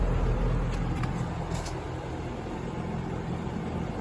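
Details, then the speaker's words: Bryant AC unit on a no-cool call: only the fan's steady low whoosh, no compressor hum underneath; compressor not running, found failed, leading to change-out. "i don't hear the compressor yeah compressor is definitely not running"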